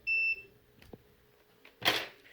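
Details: NOCO GB150 jump starter under repair for fake charging stuck at 25%; during board checks one short clean high multimeter beep with small handling clicks; the capacitor checked tests good, and a replacement is sought for the cracked 4.72 kΩ resistor.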